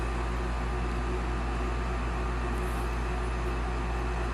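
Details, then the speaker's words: Olsen Ultramax HDS 90M furnace, newly replaced induced draft fan motor (old one had bad bearings), starting on a heat call: smooth even whirring hum, no bearing growl or squeal, much quieter than the old one, healthy. "Induced draft fan kicks on, which is much quieter than the old one."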